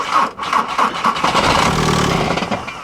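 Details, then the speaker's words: Diesel on a booster pack reading 10.3 volts: uneven cranking bursts, then it catches briefly and dies right away; owner doubts the booster, suspects old algae-fouled fuel; engine also moves a lot, possibly a bad motor mount. "no i don't think it's the booster pack that's the problem no because she'll run and then immediately die"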